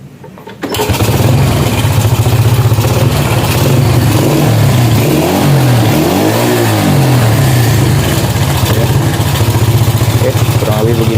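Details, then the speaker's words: Honda Supra motorcycle as received, started after fueling: rough, noisy running with a metallic clattering rattle. The idle is unstable and the engine dies unless the throttle is held. "Selain itu, mesinnya mengeluarkan suara yang berisik. Bunyinya berderak. Terdengar bunyi gemerincing, dan pedal gas harus ditahan atau mesin akan mati."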